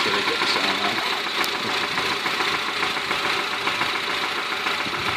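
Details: 2008 Honda Civic at about 170–185k km, idling: persistent, slightly uneven knock around two per second over a hissy background, unchanged over 15,000 km; owner believes a bad bearing, unconfirmed.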